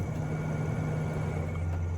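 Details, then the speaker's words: Original roof vent fan in solar-powered DIY camper van conversion, before replacement with a quieter fan: steady, loud low droning hum with no rhythm change; noisy roof vent fan. "I don't know if you can hear that. It's actually quite loud."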